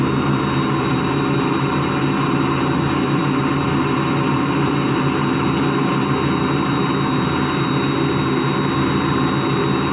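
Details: Washing machine run empty on rinse and spin: steady coarse growl rumbling under the spin; drum not loose, owner suspects worn motor or drum bearings, spin not quite reaching full speed at the end.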